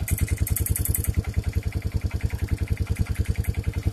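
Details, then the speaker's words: Old pull-started four-wheeler ATV running without a battery, at idle: sharp tick on every firing pulse, about 3.5 per second, traced to a loose spark plug leaking compression. "If you go on this side, you'll hear a really weird clicking noise. Oh, it's coming from the spark"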